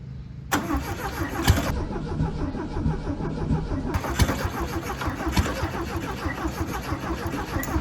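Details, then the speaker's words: 1968 VW Beetle sitting 35 years, first start attempt in neutral with gas poured in the fuel bowl, fed from a gas can, static timing set: steady rhythmic starter cranking for several seconds, engine chuffs as if wanting to fire but never catches. "a second. Sounded like it wanted to start."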